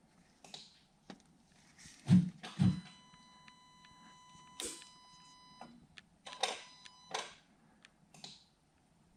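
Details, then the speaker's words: 2013 Audi A6: irregular clicks and bursts of warning chimes come and go as the main gearbox connector is moved, an intermittent connection; the connector was later found corroded, which caused the lost gearbox communication. "But the worst part of it all is that when you move it, there's like a connection making and then connection losing."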